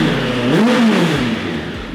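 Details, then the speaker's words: 1996 Suzuki Bandit 1200 four-cylinder after a carburettor rebuild, air mixture screw set 2 turns out, running on jump leads: revs blip up and settle cleanly without misfire or clatter; sounds all right. "Sounds all right. Winning."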